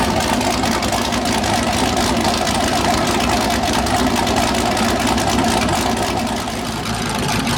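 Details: First start of a freshly built 408 LS stroker V8 on a new ECU, air-fuel around 13.3, owner suspects slightly lean: loud, choppy idle with an uneven loping beat about three pulses a second, normal big-cam lope.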